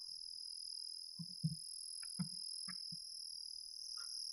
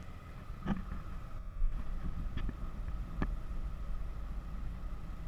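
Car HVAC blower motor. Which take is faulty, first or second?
first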